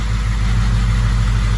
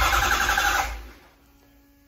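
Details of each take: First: Ford 6.0 Powerstroke diesel (07.60 build) after unplugging a shorted ICP sensor fixed a no-start: deep, even idle with a steady low rumble and no knocks or misses; normal idle. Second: 2005-up 6.0 Powerstroke diesel (deleted, updated standpipes) cranking: two spells of fast, even cranking that never fire; no-start caused by faulty ICP sensor, not the high pressure oil pump.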